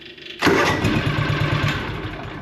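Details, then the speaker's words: John Deere Gator 6X4 sitting since 2014, revived auction buy, about 35° outside: fires instantly after a brief crank and settles into a quick, even idle with steady pulses; solid engine starts and runs well. "we'll have to get it running a bit more but that's a that's a solid engine like super solid it"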